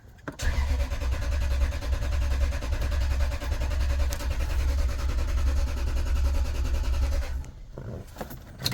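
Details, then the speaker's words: Toyota Tundra V8 with 35,254 miles, towed in after sitting a long time: about seven seconds of slow, even cranking that never catches, with no fuel pump sound heard. Cranks but won't start, cause unconfirmed. "Tell you what, I don't hear a fuel pump. I don't hear anything fuel pump related. I hear absolutely nothing fuel pump related."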